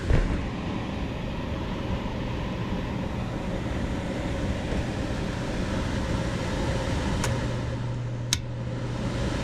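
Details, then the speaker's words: HVAC control transformer, system with severely burned thermostat and a charred mess in the attic: loud steady buzzing over a low drone; transformer overheating and about to blow. "When that transformer starts making that noise, it's about to blow."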